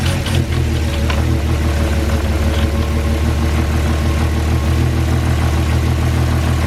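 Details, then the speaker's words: Cheap Porsche Cayenne after throttle body cleaned and drive belt done. Deep, steady idle with an even rumble and no misses or ticks; sounds a little smoother, though it stuttered on startup, thought to be relearning after unplugging. "So there you go, the car is up and running. It's done, the belt's done, the throttle body's clean, the car is running. It does sound a little bit smoother,"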